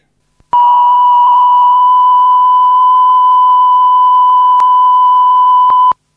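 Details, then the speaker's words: That's Metal Type II high-bias cassette, after repair, played back on the deck: clean, steady test tone holding level with no pitch wavering, showing no wow. Normal tape playback after repair. "so this is quite simply playing playing what was recorded and this is what it sounded"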